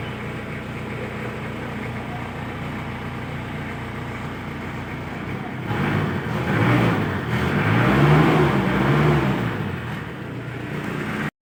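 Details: Isuzu Bighorn running again after about 8 months parked (not run since end of 2022), previously hard starting: steady low idle that swells briefly with a throttle blip and settles back, running evenly; normal idle.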